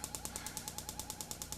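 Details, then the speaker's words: RV furnace or water heater ignition board (Channel Products, external flame sense) on a bench tester: rapid, even snapping ticks, about nine a second. The igniter keeps sparking because no flame is sensed, keeping the gas valve open. "going to work we'd go into ignition you can hear this thing chirping a sense of flame in the down position and this will continue to ignite then keep the gas valve open"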